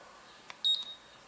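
A single short, clean high beep with a tiny click before it, quiet room; control board responding normally to a button press.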